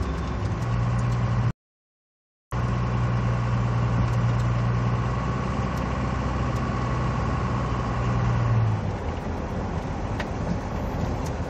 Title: turbo whine